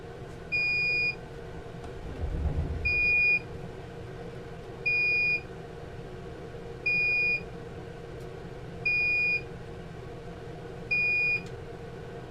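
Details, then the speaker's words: Phantom drone controller left on to drain its transmitter battery: steady high half-second beep repeating every two seconds; low transmitter battery warning. "sorry about that that was my phantom controller I've turned it on and try to let the bat-transmitter battery drain down after so long she'll beat something new"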